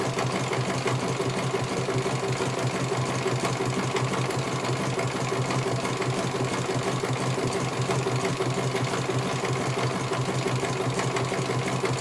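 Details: CNY computerized embroidery machine being serviced, whose dynamo motor earlier would not turn: steady, even stitching rhythm about three stitches a second, smooth motor hum, no knocks; runs fine, one colour finished, judged very good.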